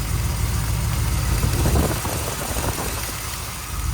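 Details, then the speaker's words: 1936 Chevy Coupe hot rod at idle: light uneven tick about three per second over deep rumble, louder the longer it sits; owner suspects rockers, exhaust leak or oil circulation problem. "let's see how that clicker tick like noise is coming along to do some rocker adjustment on this side you can just hear it clicking a little bit there"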